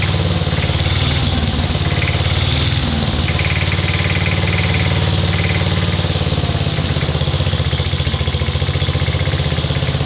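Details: 1950s Agricat mini dozer, rebuilt Briggs & Stratton model 23A single with coil/battery ignition and starter-generator, freshly started, idling for break-in: fast steady thump about 200 beats a minute, even, no misses or knocks; running healthy.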